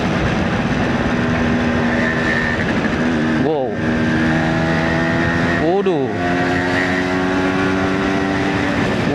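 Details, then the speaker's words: 1977 Suzuki A100 two-stroke, 49 years old, recently serviced after about a year unused and losing power, pulling in 4th gear: crisp buzz climbing steadily with clean shift breaks and no misfire; healthy acceleration. "Ini suaranya suara khas banget A 100 ya. Nah, ini saya coba tarik si Suzuki A 100 nih, teman-teman. Ini gigi 4 nih."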